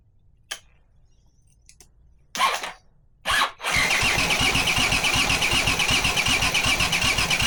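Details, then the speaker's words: Honda CX500 engine on a bench rig, no exhaust or cooling, spark present but fuel coming out of the cylinders: a few clicks, then steady, even cranking that never catches. No start because the swapped ignition coil leads fire at the wrong moment. "So, I thought maybe the coils are the wrong way around and that's why they're not firing at the correct moment."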